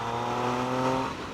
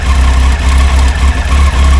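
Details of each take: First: Triumph motorcycle at 104,000 km that had idled roughly from a cold start, warmed up and ridden uphill on a new rear tyre: strong, even engine note pulling cleanly with no misfire, knock or rattle. Normal acceleration. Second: There's no engine lights or anything like that. It's just really rough.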